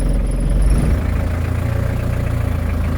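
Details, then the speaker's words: 1984 Ford Econoline diesel van, accelerator held down: heavy low diesel knocking with a lumpy, uneven beat; really rough low idle that sounds like it will die but doesn't. "so you can hear the knocking. I'm just holding the accelerator down. It's got a really rough low idle, but it idles, it doesn't die. It just kind of has a sound like it's going to."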